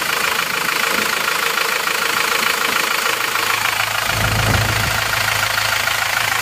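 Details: Isuzu Panther diesel just after reused original liners were reversed ('balik liner'), idling hot after a 50 km test drive; smooth even beat, no knocks or misses, oil filler no longer smoking, vapor said to show good circulation.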